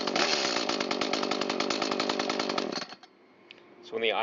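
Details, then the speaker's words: New Echo CS-310 chainsaw after carburetor adjustment, earlier bogging and misfiring: high steady buzz at full throttle falling cleanly back to idle, no bog or stumble; properly tuned saw. "And I'll fire up the saw and show you what they should run like when they are adjusted correctly, both at idle and at full throttle."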